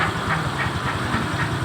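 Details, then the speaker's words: Scooter engine that had water in its oil (milky, overflowing oil, radiator coolant running low) idling with soft, even pulses and no knocks or rattles; still sounds smooth and normal. "ini anda bisa mendengarkan suaranya masih halus semua masih wajarlah itu yakin ini wajar-wajar"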